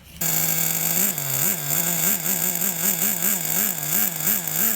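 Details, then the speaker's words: Team Losi XXX-NT nitro RC engine from about 2002, previously seized with gummed fuel and corrosion: starter whirs with even rise and fall about three times a second; strong, healthy compression. "you hear that that's a good sound that's what you want to hear"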